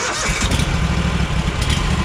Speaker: it sputtering especially when you first started and then kind of when you run it after a little while it seems to do just fine